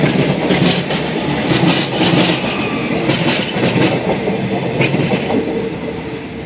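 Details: Train passing a thermit-welded rail joint at Klaten station: repeated clack-clack wheel thumps with some squeal, caused by a small dip worn into the rail around the weld by thousands of wheel passes.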